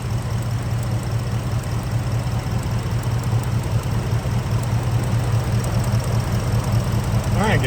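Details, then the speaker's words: Gen 1 Ford Raptor V8, 11 years old, 125,000 miles, at idle: faint, regular light tick about two or three per second; hoped to be a bad coil pack, one of three, arcing through the boot to the head, not cam phasers. "So maybe I'm ignorant, but I didn't know the coal pack actually made a noise."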